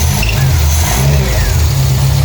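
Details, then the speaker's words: Renault 5 after a fuel pump replacement, new spark plugs and a fuel pump switch: starts with ease and settles into a steady, even low rumble with no knocks or misses; normal idle. "the car starts with ease [Music] start of ease idles nicely it's running"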